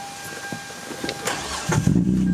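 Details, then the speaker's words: Hyundai Tiburon starting after charcoal canister components and fuel pump replacement, without priming first; a couple seconds of cranking, then it fires and holds a steady, even run, starting normally. "There we go. Yeah, I should have primed that shit first. And yeah, there it is."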